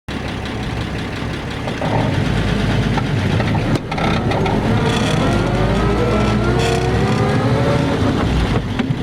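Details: 1950 Ford F2 pickup, 4-speed non-synchro spur-gear crashbox, double clutching: clear gear whine climbing in pitch with road speed in each gear and resetting on shifts, a few bumped shifts; normal straight-cut gear whine.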